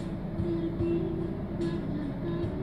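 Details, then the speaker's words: Toyota Agya/Ayla idling with AC on, normal rpm about 800–900 rising toward 1000: low steady hum at even speed, no knocks or surging; normal idle. "kondisi sekarang AC nyala jangka satu AC nyala kendaraan nyala Nah kalo RPM yang normal itu seperti ini"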